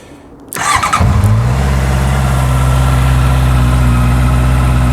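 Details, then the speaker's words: Honda CB650F after a first DIY service with the oil topped up, started in neutral. A quick crank catches cleanly and settles into a steady, even idle with no knocks, ticks or rattles; all sounds healthy, no weird noises. "All sounds healthy, no weird noises."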